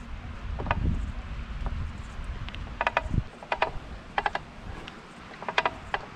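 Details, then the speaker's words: BMC Alpine Challenge bike: sharp crackling clicks in bursts under hard pedaling, stronger when pressing the left pedal, quiet when coasting or spinning lightly; bottom bracket creaking under pedaling load, from loose eccentric bottom bracket tensioner screws. "I think it's very clearly heard now they crackle mainly when pedaling if we let go of pedaling then they quiet down"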